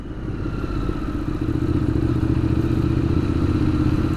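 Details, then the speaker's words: Motorcycle running on a diesel-gasoline mix: rough, uneven low putter that only slowly steadies and nearly dies; runs okay when warm and under load but poorly when cold. "seems like it runs okay as long as it's warm when it's cold well then it doesn't really work"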